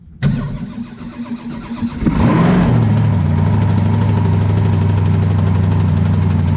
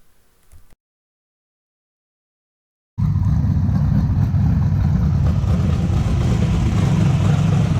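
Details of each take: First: Twin-turbo methanol 434 Chevy V8 jetsprint boat engine being prepared for racing: catches, then deep, lumpy idle with a dull knock of uneven strength; knock suspected in the motor, cause not confirmed. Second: 434 cubic inch Chev twin-turbo methanol V8 jet sprint boat, rebuilt with new rods after a failure wrecked both turbos: deep, even rumble, no knocks or misses; normal running after repair.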